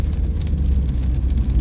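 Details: Chery Tiggo 2 Pro at 24,000 km, test drive over bumps in rain after repair of a light knock, likely a stabilizer link: steady low road rumble with rain hiss and no sharp knocks; front suspension quiet.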